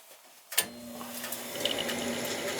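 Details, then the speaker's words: 43-year-old Bryant gas furnace after its noisy, dry top motor was oiled: after a click the motor settles into a quiet, even hum with no squeal or grinding. Much quieter; it is a temporary fix. "that quieted it down. Better, way better."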